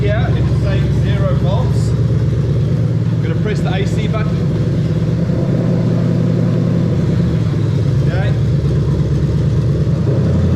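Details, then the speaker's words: GS430 3UZ-FE VVT-i V8 with new plug-and-play harness, swapped into a 2002-2005 USDM IS300 with R154 manual gearbox; idling while ignition coils are unplugged one at a time. Deep steady idle roughens and stumbles as each cylinder drops, confirming all cylinders fire. Induced single-cylinder misfire. "ing to unplug one at a time and we're going to see the engine misfire as i plug unplug each one that's going to let us know that all the cylinders are firing"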